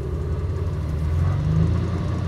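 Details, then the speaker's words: 1988 Ford F150 with EEC IV and hesitation problem, during key-on engine-running self-test at idle: steady low rumble swelling mid-clip as rpm rises while the computer tests the idle air control valve; normal idle speed rise. "hear the RPM rising. It's checking the idle air control valve."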